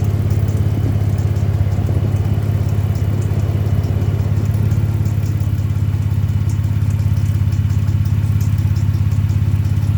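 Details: Jeep JK idling with a steady low rumble and a faint, regular knock about twice a second; happens only from idle to about 1500 rpm, then goes away; cause unknown.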